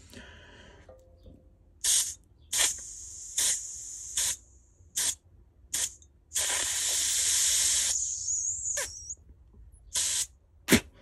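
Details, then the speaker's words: Live steam 5-inch gauge locomotive whistle valve, reassembled on the bench with mic near the valve: sharp air bursts whose hiss trails off slowly; valve reluctant to close and seal, likely due to the lever not attached to the pin. "you can hear it's kind of reluctant to close and seal something as much to do with this uh pin lever thing"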